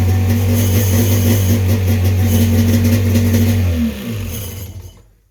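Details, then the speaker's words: 1995 Sea-Doo XP 951 two-stroke engine, just after carb installation, holds a steady fast buzzing idle then shuts off. Idle is about 2,800 rpm, slightly high. The 951s tend to run away, so the idle knob needs backing off a bit. "sounds good idle is almost where we're at you don't want to be at 3000 with the um 951s they do like to run away um so we're about 2 800 probably need to crack it down a little bit"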